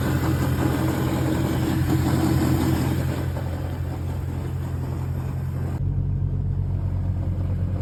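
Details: BMW E92 M3 V8 idling at 600 rpm: deep, uneven rumble with an odd pulsing noise that disappears at slightly higher rpm, cause unknown.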